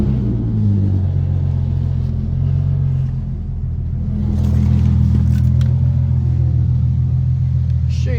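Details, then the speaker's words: Infiniti G37 under way after a snapped serpentine belt damaged a power steering return line; new belt and CZP power steering cooler fitted: smooth, even low drone with slight intake hiss, no knocks, rattles or squeals; running normally. "back in business everything feels fine it feels normal"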